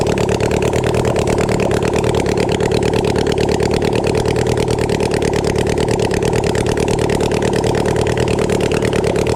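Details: Flood-damaged Yamaha FZ6 Fazer inline-four at idle after cleaning the intakes and flushing the oil. A busy, slightly uneven beat of about three pulses a second, running a bit smoky; rough but keeps running. Water was later found in the fuel.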